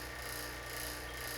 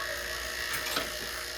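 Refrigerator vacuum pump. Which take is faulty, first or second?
second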